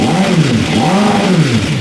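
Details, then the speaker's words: Long-sitting motorcycle powertrain donor for a formula car, warming up after oil circulated: revs climb in waves then falter and fall back near 6,000 rpm of a 10,000 rpm range; stumbles at high rpm, cause unclear. "Oh, it kind of dies up top. That was like 6,000 RPM. It goes up to 10,000 RPM. It didn't like that."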